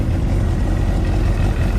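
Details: Kawasaki ZXR250 started after reassembly with the tank refitted. A deep, steady engine hum holds an even idle with no knocks or misses, running normally.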